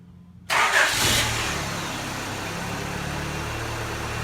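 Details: Honda with 90k original miles, started after an oil and filter change and valve cover gasket, with the fuel pump primed three times and a battery charger on: it cranks, catches, flares, then holds a steady idle; smoke is thought to be debris burning off the header.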